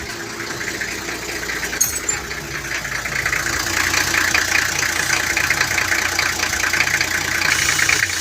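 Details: 1994 Toyota Land Cruiser 1HZ diesel with a hard-start fault traced to the glow plug relay; after glow, it starts on half a crank into a steady, even diesel clatter with no misfire; normal idle.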